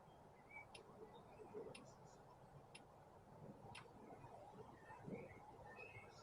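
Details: Isuzu 4JX1 engine off, Tech 2 injector click test: a sharp tick about once a second as the injector is triggered, even and clean, so that injector is switching properly.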